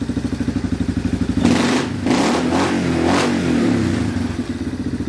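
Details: Yamaha Wolverine four-wheeler, after the brake switch was pushed in to allow starting: lumpy single-cylinder idle, then clean rev bursts rising and falling freely without cutting out, back to steady idle; normal revving.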